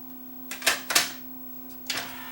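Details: Yamaha 5-disc CD changer after load belt replacement, discs loaded for testing: short clatters and clicks as tray and changer shuffle discs over faint steady hum; normal disc loading.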